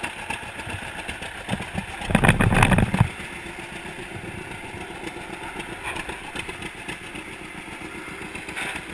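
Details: 1942 John Deere Unstyled A conversion, engine formerly stuck, on its first start after new spark plug wires (GoPro in waterproof case): slow, loping two-cylinder putt at idle, steady apart from one short louder burst; running sound.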